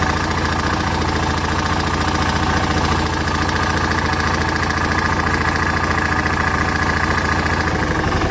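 Heavy, steady knock at roughly three and a half per second, locked to the single's idle beat; a deep lower-end knock, cause unconfirmed.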